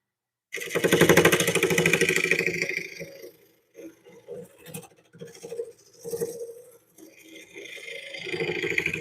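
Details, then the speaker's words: Juniper blank on a wood lathe being smoothed with a gouge after rough turning: a scraping cut with rough, uneven tapping a few times a second as the tool catches a flat spot on every turn. "Yeah, right there, that's where a flat spot is. You can hear it."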